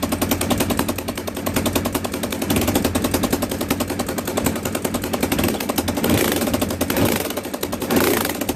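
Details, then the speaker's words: Motorcycle with fairings removed, idling with loud, sharp, rapid ticking and popping. It began on the freeway with a sudden loud noise and heavy power loss. Owner suspects an exhaust leak at the header gaskets, not yet torn down. "And there you go. That's what an exhaust leak sounds like from the header side."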